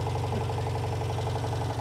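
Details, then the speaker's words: 1985 Citroen 2CV6 Special two-cylinder barn find, first start after long storage and revival, temporary fuel feed may run out: low, even, steady pulse at idle with no misses or knocks; running sweetly. "yeah it's gonna run out of fuel in a minute that sounds lovely there you go"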